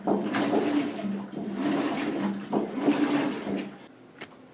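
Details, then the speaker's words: New washer replacing a failed Whirlpool, normal cycle with hot water, after filling and balance spin: steady swishing churn, about three to four strokes a second, even and unforced; normal wash agitation. "And once it gets done with that, it'll wash start washing. And now it has actually started agitating. And you can hear that."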